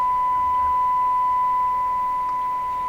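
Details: Ford Zenith 6MF780 car radio during IF transformer alignment: steady, clean, strong test tone with no hum or warble; receiving properly after alignment.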